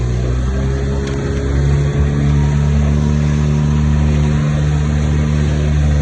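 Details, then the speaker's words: Dinghy outboard engine after repair: steady, even low hum with no misses or surging, speed holding constant; running smoothly, purring. "She's purring now."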